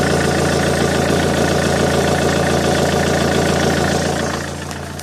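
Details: Alfa Romeo GT 1.9 JTD diesel, noise near the common-rail pump that appeared after a turbo replacement and grows louder each km. Revs fall to idle with a rapid clattering tick. Exhaust manifold leak checked and fine. Abnormal engine noise, source unknown.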